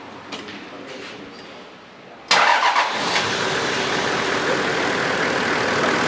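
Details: Half-million-km Toyota Land Cruiser engine under inspection: starts instantly on the key and settles into a steady, even idle with no misses or knocks; oil-cap check shows no crankcase blow-by, healthy engine.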